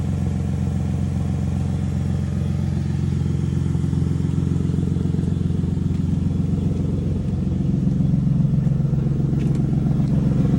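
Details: Lexus GS300 with 2JZ engine, cold start: deep cold idle with a sharp, steady puffing tick at about four beats a second from an exhaust leak.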